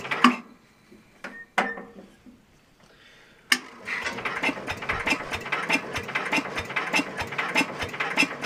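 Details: Super 12 hydro small engine, cold start, possibly never fueled; owner suspects empty tank or needs more throttle. Steady ratcheting churn about 150 turns a minute, never fires: cranks but won't start, cause unconfirmed.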